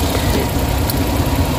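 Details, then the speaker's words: Suzuki Big Eye DA64/DA63 engine, idling with the AC on, uneven lumpy shaking idle and no check engine light; misfire from weak ignition coils on cylinders 3 and 4, oil found inside the coils, coils to be replaced. "number two na o medyo malakas y no so ang may problema independent coil na number three number three tsaka number four"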